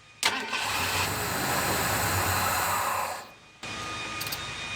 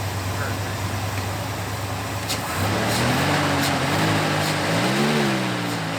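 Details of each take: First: 1991 Ford Bronco that sat 2 years with old fuel, after reconnecting vacuum lines: it catches and runs about three seconds, then dies. The stalling is from low fuel pressure. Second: 1991 Ford Bronco, sat two years with bad old fuel, first start after new fuel pump (35 psi), starter jumped: engine runs smoothly, picks up cleanly on throttle blips and returns to idle without stumbling; normal revving.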